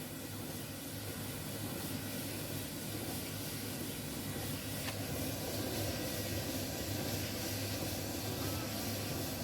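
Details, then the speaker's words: Alliance Speed Queen commercial dryer, bench-tested with door switch bypassed, after replacing damaged drum idler pulley, its nut and drum bearing slide kit to cure loud noise: smooth even drum rumble, no squeal, thump or grind; running properly. "loud noise now no any loud noise it's working properly"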